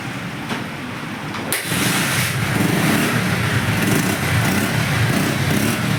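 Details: Bajaj Pulsar 150 BS4 after CDI coil replacement for a no-start, kick-started because the battery is run down: a quiet kick, then it catches at once and settles into a steady, even idle with street noise; starts and runs fine.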